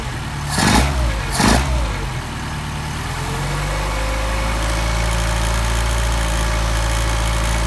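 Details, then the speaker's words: Mercedes 190SL Solex carbs, freshly assembled, on a test engine warming up before adjustment with a synchro meter: after loud blips it settles to a steady, even idle with a faint rising tone, running better once warm. "can you hear how better they're running once they get start to get warmed"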